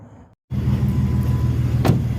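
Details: 2011 Jeep Wrangler 3.8 V6 petrol idles with a steady, deep, even rumble and no snapping or stumbling after a misfire was temporarily fixed by taping a sparking spark plug wire; the wire is due for replacement.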